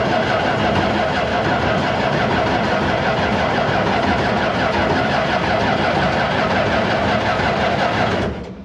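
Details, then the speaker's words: Barn-find Massey Ferguson 300 combine, in neutral with choke pulled and a little throttle, fuel pump running after 5 gallons added: a steady cranking churn near three beats a second for eight seconds that never catches. Long cranking without starting, though it started shortly after. "doesn't [Music] sound that promising so okay we have fuel"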